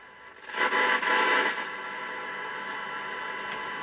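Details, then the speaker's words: Old CB radio with no aerial, powered up on AM: a short louder rush of hiss settles into steady, gentle static; the receiver works normally, picking up noise. "That's AM. You can hear it hissing very gently on AM."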